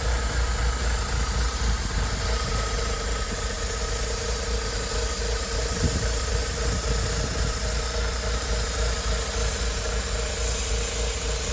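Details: BMW Z3 1.9 with M44 engine at idle: a constant airy hiss and thin high tone over the engine from a vacuum leak.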